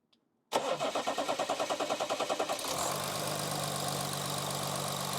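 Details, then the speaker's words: Audi A8 3.0 diesel non-starter, after replacing an injector whose leaking copper seal led to nozzle failure, cranks evenly for about two seconds and settles into a smooth, steady idle; repaired, normal start. "yeah it's running quite good actually sounds quite good yeah it was definitely the injector very bad"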